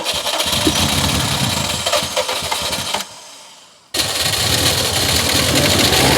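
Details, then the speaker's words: Drag Subaru STI build, first start after sitting, probably flooded and on old fuel: engine catches and revs unevenly, cuts out, restarts and holds a steady, slightly missy idle; sounds healthy overall. "come on baby she even sounds healthy maybe a little bit Frozen but healthy overall"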